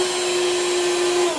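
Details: Beam central vacuum power head: steady mid-pitched motor whine with no brush-roll beating, then winding down; broken belt, brush roll not spinning.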